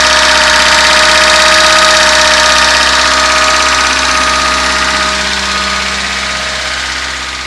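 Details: 1976 VAZ 2106 Zhiguli after a full engine rebuild replacing and repairing all parts: a steady idle with a faint, even tapping at roughly three per second. The owner says it is heard best from a distance. Knock at idle, source unclear.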